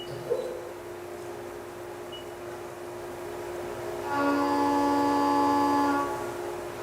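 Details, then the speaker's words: Milling cut after a chatter demonstration cut, with only spindle speed changed: spindle whine holds steady, then the cut adds a clean, even tone with no rattle or shriek. Stable, chatter-free cut. "Okay, so the cut we heard there was unstable. That was chatter. We'll next complete a stable cut and you will hear the difference."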